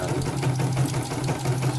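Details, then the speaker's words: Embroidery machine after rotary hook setting, cleaning, clear-oil lubrication and replacement of a nearly crushed fan and tension set: even, steady hum with a smooth, regular stitching beat, no knocks or catches; hook running cleanly. "Tapi ini sudah sangat lancar dan tidak ada kendala. Setelannya sudah bagus"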